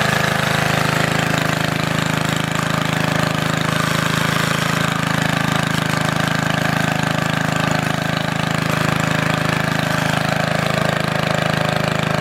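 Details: Antique Goodall-Modern edger with 3hp Briggs & Stratton engine, last run mid-1990s, started after fuel turned fully on, many recoil pulls needed; busy single-cylinder chatter firing evenly at steady speed, no dying or surging; normal running.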